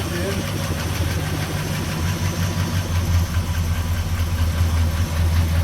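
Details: 1969 Chevy C10 with big-block 396 V8, just restarted after sitting 20+ years, timing set, ignition rewired, new carburetor: deep, even V8 burble at idle, smooth with no stumble, miss or knock, running healthy.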